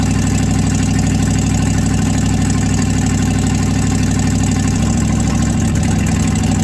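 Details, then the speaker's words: 1967 Chevrolet C50 truck, restarted after nine years sitting outside following barn storage; heavy loping, uneven idle stumbles and changes rhythm, won't hold idle and then won't restart; rough idle and stalling, cause undetermined. "i don't know why the thing don't want to idle i'm start it up again now it does not want to start"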